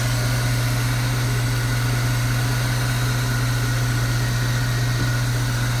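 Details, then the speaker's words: Truck engine idling smooth with a steady low drone and no belt squeal after a squeaking alternator belt was replaced with a thicker heavy-duty belt; charging voltage reads about 14.8 V. "car battery and I gotta say this is running so smooth"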